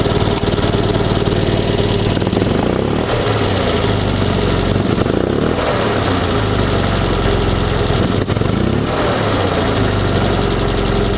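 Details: 1974 Fiat 500 two-cylinder engine at idle: loose, uneven run with sharp pops every few seconds; misfire popping back into the intake, suspected bad condenser or ignition points firing at the wrong moment, unconfirmed.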